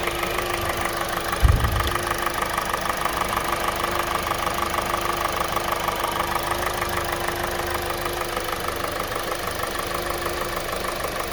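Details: 2020 Kia Soul 2.0L, 20k miles, maintained every 5k: steady rapid hollow metallic knocking about three per second over a rough idle; piston slap from faulty piston rings, which later led to complete engine failure and warranty engine replacement.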